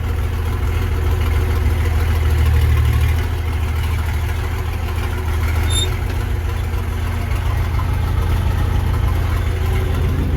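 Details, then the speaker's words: Versatile 800 tractor diesel at idle with the old, roughly 50-year-old muffler removed before fitting a new one: deep, loud throbbing idle with a raw bark; unmuffled open exhaust. "What a beautiful sound, isn't it? Shame we have to put that horsepower restrictor back on the front, but let's do that."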